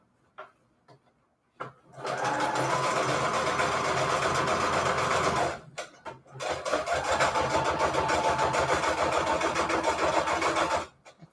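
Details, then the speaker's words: Sewing machine running a straight stitch at roughly three to four stitches a second, with a clattery, loose rattle over the drive. The owner cannot tell where the rattle comes from and suspects it needs cleaning; the cause is unconfirmed. "i need to clean out my machine or i don't know why it sounds so bad it's like making such a rat"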